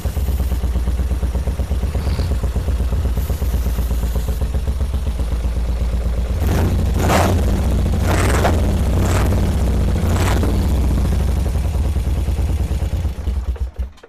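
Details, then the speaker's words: 1978 BMW R100S airhead twin, new plugs, left carb dry: lumpy, uneven twin beat that stumbles and only briefly picks up on revs; left carb ran only on starting fluid, fuel passages blocked by gummy gas; Mikuni TM38 carbs to be cleaned. "This left carb finally started running, and that indicates to me that the fuel passages are blocked in that left side carburetor due to that gummy gas."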